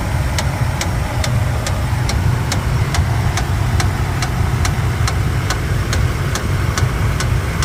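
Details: 2013 Toyota Tundra at idle: sharp regular tick about twice a second over the engine, a lower-engine knock of unknown cause.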